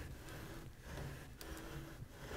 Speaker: kind of like that. And you can also feel that the beater seems to be rubbing on one of the sidebars. Usually it's just rubbing on one at a time.